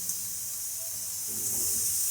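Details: Mini autoclave sterilising surgical instruments: a steady high hiss of escaping steam without sputter or pulsing at 15 psi as the timer nears its end; normal venting before automatic shutoff.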